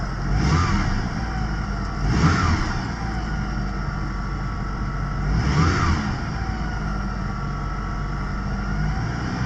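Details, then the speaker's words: Mitsubishi Galant VR4 just after fitting a new stealth intake canister and air filter, not yet warmed up: three clean rev blips over a smooth idle, rising and falling evenly; revs freely, normal. "It looks like it runs."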